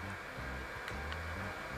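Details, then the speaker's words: DR.Q L8 compact video projector running: steady loud rushing whoosh with low hum underneath, no rhythm change; cooling fan far too noisy, tiresome over time; loud cooling fan noise. "après il fait beaucoup de bruit c'est à la longue c'est vraiment assez pénible le bruit que peut faire ce bijou projecteurs"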